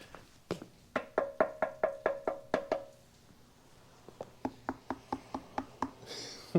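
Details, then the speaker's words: 1975 Kawasaki KE125 with seized engine, 1,670 miles, long stored: hollow taps on the fuel tank each followed by a dull rattle; debris inside, confirmed when opened. "That sounds like it's got some stuff in it."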